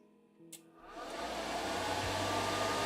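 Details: Skywalker V1 coffee roaster with bearing drum support mod and new large fans drawing about 2.5 A, cooling beans; fan spins up in about a second to a smooth, even rushing hum with a faint steady tone, no rattle or scraping; normal fan running.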